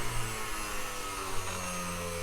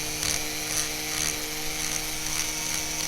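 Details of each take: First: so that's at the minimum setting and there's no bouncing it's just pure grinding quiet Second: it Clickety Clacks a little bit see that all right I thought that was normal the first time I did it and when I broke something I realized that it might not be normal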